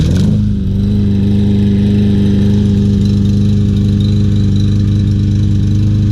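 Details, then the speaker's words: Troy-Bilt TB200 self-propelled mower, 625EX engine, after carburetor cleaning, fresh gas, new spark plug and flywheel key, runs steadily with an occasional stumble; slight misfire, cause still unknown. "very nice looking mower definitely can hear that miss any suggestions let me know very nice mower just not quite running right"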